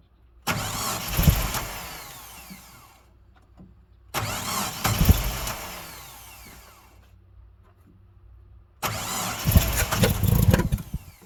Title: 1987 mazda b2000 won't start ... need help!